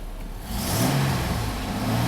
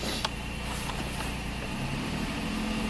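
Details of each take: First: 2002 GMC Sonoma V6 with long crank and low power, after the fuel pump had been changed five times: it sweeps up cleanly to a steady high rev with no stumble or misfire. Fuel delivery is healthy. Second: 2002 GMC Sonoma V6 with long-crank and low-power complaint, fuel pump changed five times, warmed up: idle rises as throttle opens, then bogs and sags without a clean pull, suspected fuel starvation rather than a clogged cat.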